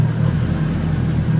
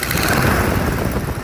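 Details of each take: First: BMW E36 325i turbo, M50 engine, after oil on the manifolds was found and clacking traced: steady low idle hum with no ticking or clacking, condensation in exhaust line; normal M50 idle. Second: BMW E36 325i turbo at idle, oil at 69°C: a rough idle with a light tick about three per second; the owner suspects an exhaust manifold gasket or exhaust leak rather than engine internals.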